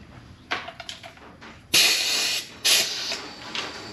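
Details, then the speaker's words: BMW Z3 M54 engine cylinder leak-down test on cylinder one, engine turned by hand: sharp bursts of hissing air in spurts, showing air leaking into cylinder two through the head gasket between cylinders one and two. "there's air leaking into the adjacent cylinder so I have a leak between cylinder one and cylinder two between the head gasket"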